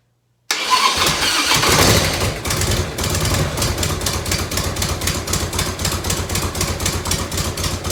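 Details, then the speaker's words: 1990 Harley-Davidson FLHTC Evo started on reserve with choke, heat shield off: fires after a short crank into a lumpy choke idle about four beats a second, a light tick from small exhaust leaks. "up last night having a couple little exhaust ticks had one in here so uh turn this to reserve give it some choke"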